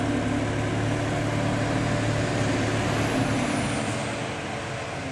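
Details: Cold-start idle on a BMW N54 engine, uneven, loping and stumbling, with smoking exhaust; codes 2AAF, 29F2, 29DC; fixed by replacing the failing high pressure fuel pump.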